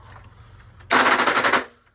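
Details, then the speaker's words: Curb-found Hoover Legacy 810 upright vacuum, made May 1992, 7.5 A motor, first power-on: a sudden harsh rattling screech under a second, then it cuts out; cause unknown, teardown needed. "that doesn't sound good that doesn't sound good oh Lord that's not a good sign"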